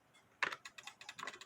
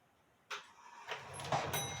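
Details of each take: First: Mid-to-late-1800s drop dial case clock, believed made by Meyer, with wooden plates and a double fusee time-and-strike movement, crutch off: rapid, light clicks about eight a second with no even tick-tock. The escapement is running too fast without the crutch. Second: Drop dial case clock, wooden-plate double fusee movement believed made by Meyer around 1860, striking only on the hour: about eight clear bell strikes evenly paced roughly one per second. Normal hour strike.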